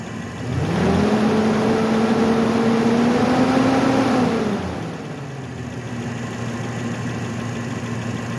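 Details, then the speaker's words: Truck after belt and pulley repair, charging again, belts running true: engine climbs smoothly on a throttle blip and drops back to calm idle with no whine, squeal or rattle; normal revving. "So I'm not hearing any weird noises"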